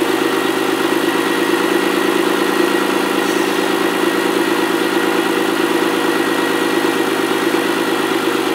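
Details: Ford ST200 V6, first run after head gasket and timing chain repair: an even, steady idle hum with no ticking or knocking. Healthy.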